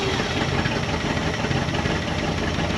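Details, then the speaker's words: 1974 Dodge W100 Power Wagon V8, revived after sitting 41 years, vacuum advance disconnected, timing way off against a roughly 12 baseline; uneven, lumpy, ragged running: ignition timing far off, rough running. "yeah okay so T that's all right our timing's way off we'll get the timing light on it"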